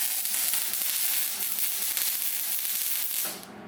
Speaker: I feel like it's not this firecrackery for you. Because you're moving too fast.